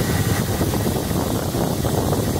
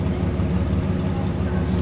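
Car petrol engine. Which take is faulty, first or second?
second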